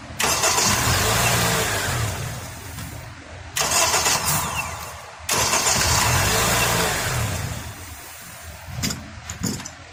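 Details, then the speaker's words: Acura TSX after starter replacement (old starter only clicked): brisk cranking catches quickly and the engine settles running, with a short horn blast mixed in; normal crank and start. "Sorry about that horn. Sounds good though. Sounds really good."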